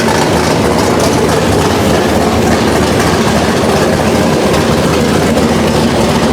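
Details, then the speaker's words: Chevelle V8 on a new Edelbrock Pro-Flo 4 EFI, first start, injection not yet fine-tuned, open headers: loud, raw, steady roar with a constant low drone and no knocks or misses; running evenly. "I don't know how it's going to sound how it's gonna come across because it did at the time still have open headers on it the car is obnoxious"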